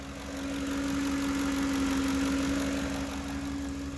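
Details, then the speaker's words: Running engine with no check engine light and no rough idle: steady humming over an even idle that swells and eases, louder on acceleration; source unclear, vacuum leak not found, owner suspects IAC valve, pulley not ruled out. "no check engine lights no rough idle just this humming sounds driving me nuts and it doesn't sound like it's a pulley"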